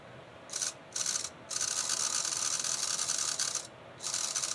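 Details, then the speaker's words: Burlington GP20 model locomotive, factory-sealed gearbox just lubricated: thin high-pitched squeal cutting in and out then steady from dry gears, beginning to fade as it runs in. "Oh, it's starting to, squeal's starting to go away. I think if I run it for a while, it'll quiet down a little bit."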